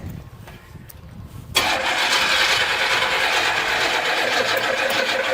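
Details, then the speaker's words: 1963 Chevrolet Impala, never-opened engine, starting up: catches and settles into fast top-end chatter about three ticks a second over rough idle; suspected lifters or cam, upper engine, cause unclear. "oh CH the battery now I'm just wanted to hear that chatter cuz it sound like the lifters were making some crazy noise I have no idea"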